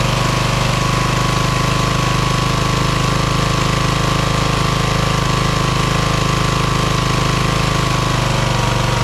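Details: Craftsman LT1000 hydro lawn tractor, second rebuilt engine, after new EverStart U1-R 230CCA battery fixed no-start: loud, even thrumming at steady speed, no misses or hunting; engine starts and runs cleanly.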